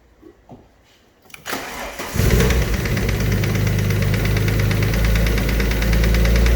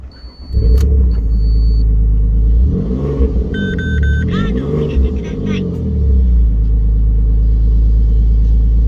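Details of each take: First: Alfa Romeo 147 GTA engine restarted after top-end work, now settling into a fast idle with a steady deep bottom-end knock about three to four per second. Top end has quietened; the bottom end needs a rebuild. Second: Alfa Romeo 147 GTA after a full engine rebuild, with a coolant leak at the thermostat resealed: smooth, deep idle with clean, even rev blips and no ticking or knocking; the engine runs healthy.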